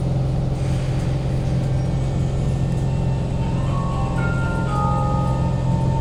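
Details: Kawasaki C151 trainset 067/068, carriage 1068 at doors A4/B4, East-West Line from City Hall to Lavender: a steady low drone and fan rush. Air-conditioning and ventilation are very loud, worst when decelerating into stations, and at times subside only at full stop.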